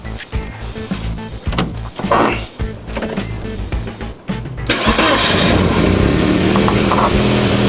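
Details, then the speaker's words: Classic car whose no-start came from loose wires cutting the fuel pump, now fixed: after background clatter it fires at once on the first try and settles into a strong, even run; starting healthily. "One kick. One kick. Start. So it's starting real well now, guys, and I'm very pleased with that."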